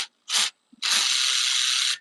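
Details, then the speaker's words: Traxxas RC car, wheel removed, throttle blips: harsh high gravelly whirr rising and cutting out with the motor; owner sees motor wiggling and suspects it needs tightening, gear grinding suspected, unconfirmed. "So I see the motor moving around. So maybe we just have to tighten up the motor."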